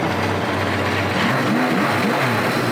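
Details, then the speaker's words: Four-cylinder motorcycle after carburetor sync with a vacuum gauge, all cylinders reading about 56–57: steady, balanced idle with no hunting or stumble, returning cleanly to smooth idle; normal healthy idle. "you can hear how happy the bike is it comes right back to a smooth idle we're going to call that done and dusted"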